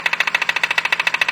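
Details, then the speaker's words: BMW at about 70,000 km, engine running: sharp, even clattering knock about fourteen per second. The failed crankshaft pulley damper has play; the pulley shifted and frayed the belt. Pulley and belt replaced; the water pump was also leaking. "这宝马设计有个小通病，我觉得它那个曲轴皮带梁上面设计了个缓冲的，大概在6到7万公里左右就开始损坏了。损坏之后它就有间隙就会敲击声。"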